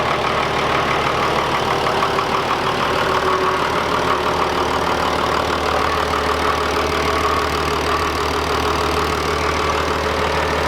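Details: Toyota 80 Series with freshly built 1HD-T turbo diesel, restarted after install with bonnet on: steady idle with even, light clatter, about three pulses a second, no knocks or hunting; healthy.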